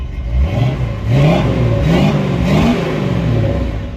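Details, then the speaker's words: 1970 Dodge D100 pickup V8 after cam swap with DLC lifters and cam break-in, warmed to about 230 degrees, no PCV valve fitted yet, carburetor may still need work: revs up and settles with a deep, even burble, no valvetrain ticking or knocking; normal running. "Everything's looking good, sounding good, running smooth."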